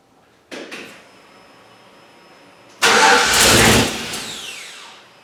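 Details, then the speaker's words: Turbocharged '61 Chevy pickup on its first real start after the starter solenoid relay was rewired: a couple of short starter bursts, then the engine catches with a loud roar that sags away within two seconds; it fires, then stalls. "So then I got that fixed, I got it to crank, it would fire up and then shut off in a second, and as I played with it to try and get it to stay alive a little bit more, there'd be huge cataclysmic backfiring"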